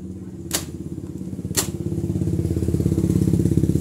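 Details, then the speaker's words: Honda Beat fuel-injected scooter cranks but won't start: rapid starter churning with sharp clicks, engine never catches; fuel pump ground circuit from ECM found weak while supply voltage normal. "Oke saya coba kunci kontak on nah ini nah oke terus kita coba starter motor ini tidak akan hidup deh Oke"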